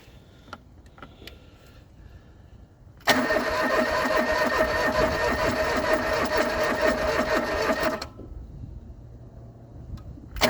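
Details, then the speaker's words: John Deere 445 fuel-injected garden tractor, parked about 8 years unstarted, cranking: about five seconds of even cranking, not even a pop. No start, out of fuel. "Not even a pop."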